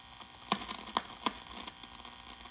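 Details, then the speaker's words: 1952 Wards Airline AM tube radio, all capacitors already replaced, hissing faintly with a low hum and three uneven sharp crackles; owner suspects a poor internal connection in the 12AU6 tube, worse when wiggled, unconfirmed. "And so I'm thinking that maybe something inside the 12 AU6 tube is not quite making a connection because it seems like if I wiggle the 12 AU6 around it'll kind of accentuate that noise."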